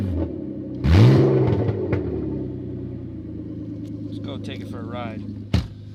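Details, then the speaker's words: 1998 Audi A4 2.8 V6 quattro, manual, cold engine idling with one quick rev: loud, deep, raw rumble mostly from the front of the engine; exhaust leak suspected, catalytic converter hanging low and rubbing the ground. "But the sound is so loud. It's a manual. This is a cold engine. Pretty cold, as you can see. Most of the sound is coming from the front of the engine. Very loud."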